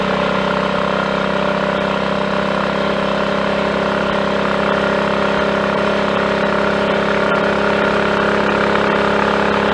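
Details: Triumph Tiger Cub single on a 12-mile ride with choke off, with no misfiring after a new carburettor slide, needle, needle jet and main jet were fitted for an over-rich mixture; steady, even note under load with no missed beats; normal running.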